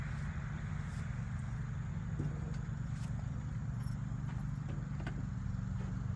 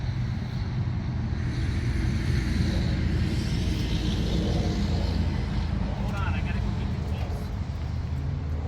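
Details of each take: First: 1981 Jeep CJ7 sat over 12 years, first start after plugs reinstalled and timing set: low steady six-cylinder idle with faint uneven puffing tick; exhaust leak seen down at the little junction. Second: 1981 Jeep CJ7 sat over 12 years, all spark plugs removed, WD-40 sprayed in cylinders: starter spins engine in fast even whirr, no compression pulses or firing; turns over freely, but no reading on oil pressure gauge.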